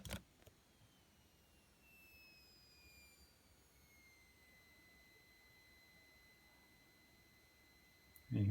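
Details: New battery charger with a battery inserted: thin high whistle sliding down in pitch then holding steady; charger whine, cause not confirmed.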